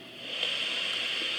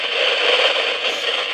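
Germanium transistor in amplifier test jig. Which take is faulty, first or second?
second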